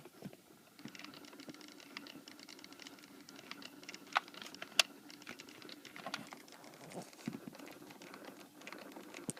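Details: 2008 Toyota Sienna with quiet, irregular light clicks, one or two a second, from inside the dash; an HVAC clicking noise, suspected actuator problem.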